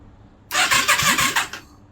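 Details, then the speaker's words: 1989 Yamaha Virago 535 parked 4 years, new spark plugs, refitted carbs, no fuel yet: one-second crank with quick even chugs, no firing; starter turns engine over freely, normal cranking. "I'm just going to press start without any fuel. Just make sure she turns over."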